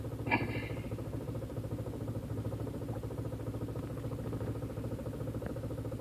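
Uneven idle with a lumpy, irregular pulse and slight stumbles over a low engine drone; the idle is rough, cause unclear.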